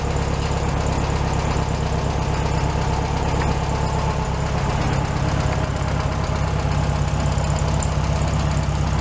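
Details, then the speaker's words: 1967 VW Beetle after the carburetor was redone a second time, fully warmed up: smooth, even idle with a steady beat and no misses, possibly a little high, showing normal idle. "It's probably idling just a little bit high right now."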